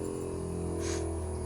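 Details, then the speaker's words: Outdoor unit of an American Standard heat pump in defrost cycle: steady, strained compressor hum at one pitch, outdoor fan quiet, as pressure and heat build in the outdoor coil to melt ice; normal defrost. "So you hear the heightened sound. That's the buildup of pressure and heat in this outdoor coil,"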